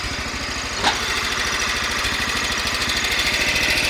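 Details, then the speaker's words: Cub Cadet 1100 garden tractor single-cylinder engine idling after gasket repairs; light, tinny rattle over steady pulses, owner believes it is a loose part rattling, not connecting rod knock. "here's the engine that noise isn't a connecting rod dock it's just something rattling because much work"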